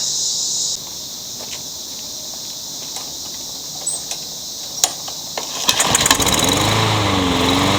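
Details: Troy-Bilt 21-inch self-propelled bagging mower, blade previously hit a railroad tie; after flywheel key replacement and recoil reassembly, pull-start clicks then catches and settles into an even, steady buzz with no misses or stumbles: good runner.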